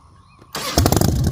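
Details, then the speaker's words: Salvaged 2000 Harley-Davidson Fat Boy V-twin, after flood restoration from 5 days submerged in Hurricane Ian floodwater: catches and settles into a loping, uneven-firing idle with throttle blips, no knocks; finally running and fixed, healthy. "yeah all right so finally she is running she is fixed"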